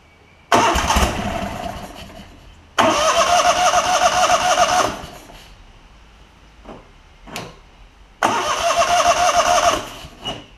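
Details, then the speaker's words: Kohler Command CH20 V-twin on a Lincoln Ranger 8 welder-generator, new fuel pump and lines, carb suspected full of junk, throttle OK: three cranking bursts catch briefly, improving each time, then fade without idling; nearly starts then dies. "it really really wants to every time it gets a little bit better and a little bit better"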